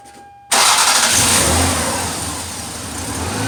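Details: 1992 Lexus ES300 after the belt adjuster was tightened; the front squeak is gone. Engine settles to a steady, even idle with no chirp or squeal while the wheels are turned. Normal idle, belt healthy.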